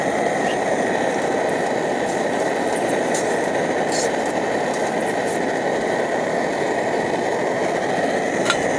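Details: Optimus Hiker Plus stove, cooking lunch; steady, even roar with no sputtering or pulsing, faint cookware clinks: normal burner roar.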